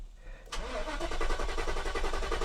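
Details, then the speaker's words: 1990 Mercedes 560SEC (W126) just after replacing both fuel pumps and the fuel filter for a stalling problem: even starter cranking for seconds without catching while fuel fills the filter; pumps faintly audible; it then starts. "Let the gas get up to the engine. Yeah, you can hear the gas pumps there a little bit there. Come on, gasoline. We got to fill up the fuel filter."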